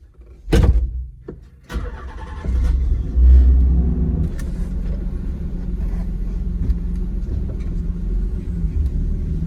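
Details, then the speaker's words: 1995 Nissan 300ZX Z32 after automatic-to-manual swap: sharp cranking bursts, then the engine catches and settles into an even low drone with no knocks or misses; runs well and shifts through all 5 gears on the test drive. "All right, so I'm back from my test drive, and everything went good. It ran really good, and it seemed to go through all 5 gears perfectly fine."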